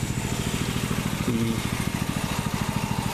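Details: Water-seized 6.5HP Honda-clone Predator engine after clean and rebuild, breaking in at idle then governor speed, about 15 minutes running: small single-cylinder firing evenly, smooth, no smoke, knocks or rattles, no substantial oil leak; healthy.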